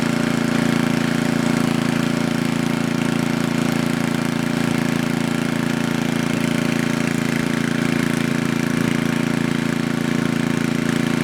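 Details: Coleman Powermate Maxa 5000 ER generator after draining the carburetor and adjusting the bottom fuel mix screw: steady, even engine note at governed speed, no hunting or misses; problem fixed.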